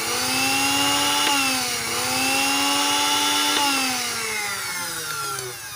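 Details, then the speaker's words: Wongdec turbo blender tested unloaded with the safety interlock held closed, before fixing the stiff blade shaft that stopped it turning: a high, strong, smooth motor whine with no grinding. The motor itself runs normally. "มีมอเตอร์ใช้ได้นะครับหมุนแรงมากเลยนะครับผมสุดยอดเลยนะครับพลังเทอร์โบนะครับแรงมากนะครับ"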